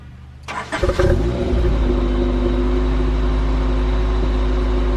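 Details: 1997 Honda Prelude BB6 H22A, M2B4 transmission, crank-no-start fixed by new distributor: brief crank, catches cleanly, settles into smooth steady idle with no misses or knocks; engine running well.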